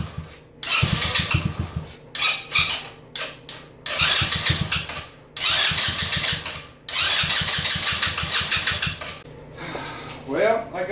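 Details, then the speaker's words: Coolster 125 after fuel system parts were replaced: repeated short cranking bursts that catch briefly, sputter and die; hard starting, owner suspects the carburetor is the remaining problem and plans to replace it. "my next move is gonna be in the carburetor for it because she just ain't happy at this point in time"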